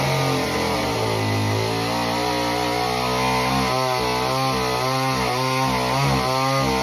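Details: Homelite Super Mini chainsaw, customer saw that wouldn't run, rev or idle, after idle speed screw turned about a turn and a half: two-stroke screams at high revs, bogs slightly biting into a big log, recovers cleanly; cuts like butter.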